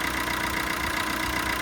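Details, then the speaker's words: 2014 Vauxhall Combo diesel van that would not start from cold, now fitted with new injectors; cold start with short, even diesel clatter and a rev, no knocks or misses; normal diesel idle. "yeah listen to that a nice bit cold but give it a little rev mate [Applause] yeah it sounds lovely"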